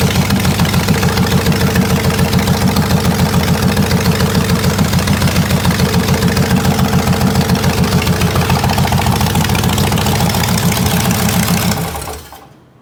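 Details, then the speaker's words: Buick 401 nailhead V8 in a rail dragster at idle: sharp regular knock about 3.5 per second. A connecting rod is striking the oil pan, whose front bottom was caved in during storage. "the oil Pan's bent the Rod's hitting the freaking oil pan the bottom of the oil pan is caved in in the front"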